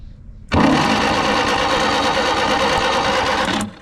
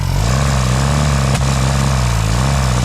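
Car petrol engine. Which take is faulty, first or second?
first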